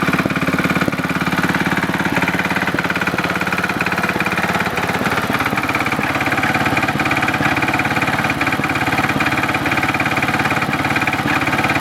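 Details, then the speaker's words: Simplicity Landlord 2010 tractor engine idling steadily after the seal was replaced and the engine was bolted down: regular knock, about three per second, on the exhaust beat; owner suspects a rod knock, unconfirmed, and the carburetor needs tuning. "I think the carburetor still needs a little bit of work a little bit of fine-tuning and I think I hear a rod knock in the engine which is not good"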